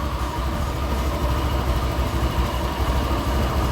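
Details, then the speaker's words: Used automatic scooter, 76,000 on odometer, checked before purchase: low uneven putter swelling and sagging, idle unstable, possibly dirty or insufficient air; rough noise from CVT and rear wheel not moving, CVT clearly faulty. "ini terlihat sangat bermasalah sekali di bagian CVT nya karena dari rodanya ini sih saja tidak bergerak sama sekali ya dan bunyi dari stasionernya pun tidak stabil ya"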